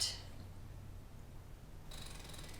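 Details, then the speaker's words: Tesla Model X seat belt, pulled fully out then let retract while installing a Graco Extend2Fit car seat: fast run of ratchet clicks as the belt reels in. The retractor has switched into locked mode and the belt can no longer be pulled out. "do you hear that clicking sound that means it's locked so I've switched it into locked mode and you can see now I can't pull pull it back out"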